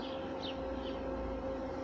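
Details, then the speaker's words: Bestway/Intex above-ground pool sand filter pump, pressure gauge reading very high even after backwashing: steady, strained motor drone at one pitch, very weak return flow; pump laboring against a clogged filter. "loperies mais elle est toujours en train de forcer donc comme vous pouvez voir le refoulement est très très faible"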